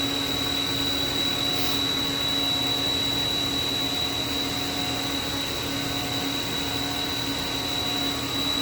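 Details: Haas VF-3 vertical machining center, spindle at 5,000 RPM while the table makes linear cross-axis moves at 40 inches a minute, recorded about 8 inches from the spindle. A steady high-pitched whir with a clean whistle on top and no knocks. Normal, quiet spindle running.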